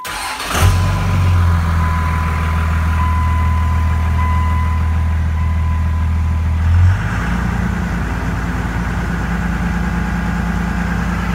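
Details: Cummins 5.9 diesel truck, in park, after fuel filter change and repeated priming: brief crank, catches and settles into a steady deep diesel rumble without stumbling or sputter; normal start.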